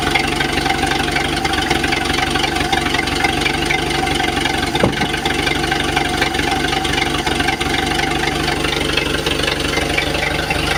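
Steady idle with a rapid, loosely regular knocking on top, around four per second, staying constant throughout; an internal knock of unknown origin.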